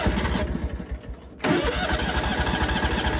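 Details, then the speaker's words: John Deere X340 mower with intermittent rough running and stalling despite a carburetor rebuild, new fuel pump, ECM, plugs and filter: the warm engine restarts on choke, with weak churning then it catches and settles. "So it started with the choke. Started with the choke. Now I'm back up and running. It sounds good."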